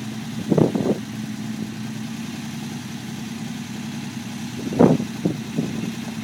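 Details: Unimog 404 first start after rebuild with new fuse boards and rewire; low steady idle hum at even speed with a couple of brief clatters; running normally.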